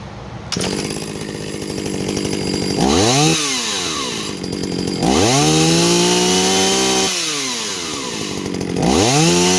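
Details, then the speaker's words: Jonsereds 451EV two-stroke chainsaw after carb cleaning and adjustment, revving cleanly from idle to full throttle and back, crisp pickup and strong even scream; chain oiler works; normal running, seems strong. "I don't know, seems to run pretty damn good to me. Seems strong."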